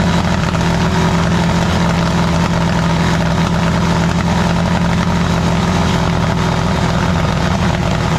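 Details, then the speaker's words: VW with a freshly built 1641 engine, first start, hot: loud, steady, rough idle with a raspy puffing edge; exhaust leak from a loose exhaust clamp, to be tightened once cooled; smoke is only spilled oil. "And then on this side, the clamp on the exhaust is loose, so it's got an exhaust leak, but let it cool down and t"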